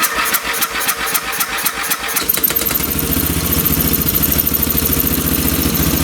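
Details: Free late-1980s/1990s lawn tractor, fresh gas, fuel valve on: pull-start chuffs, then the engine catches but runs with an uneven, stumbling beat off the choke, lean; the carb screw is turned out further (about two turns).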